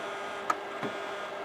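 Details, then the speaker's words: Imation LS-120 SuperDisk drive in an IBM NetVista that can't read a floppy: sharp clicks every half second or so over faint motor hum, constant head recalibration like a click of death; heads suspected damaged or extremely dirty. "But it's recalibrating constantly. This would be equivalent to the iOmega click of death, except in SuperDisk terms."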